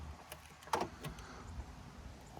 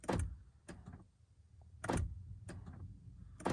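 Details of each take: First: Few quick, crisp mechanical clunks as the door locks cycle on a 2013 Honda Fit, central locking working normally after disconnecting the faulty door lock knob switch that caused random repeated locking. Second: 2013 Honda Fit power door locks: sharp actuator clunks in quick doubles and triples with nothing pressed, randomly locking up to 10–20 times, also triggered by windows, wipers or horn; cause found to be a faulty door lock knob switch in the latch.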